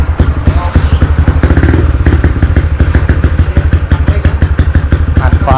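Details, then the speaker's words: Freshly rebuilt Wave LED 59mm-bore, stroke-5 engine (4-valve head, 24/21 valves, manual clutch, HiSPEED parts) after overnight assembly, first start: even quick thumps about seven a second, deep steady beat, no tapping or rattle — healthy quiet idle. "ครับเครื่องเงียบกิบได้ๆๆสุดยอดเลยครับช่างเงียบกริ๊บเลยนะ"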